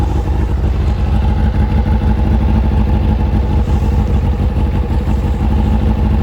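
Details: Kawasaki ZZR600 after fitting a Micron exhaust and carb resynchronisation, now starting first time: deep, even exhaust note with steady firing pulses and clean rev rises, no knocks or misses; normal idle and revs.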